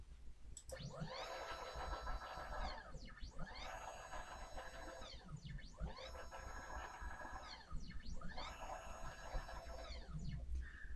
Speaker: you can see, that sounded fine, so we can then take that up another 50.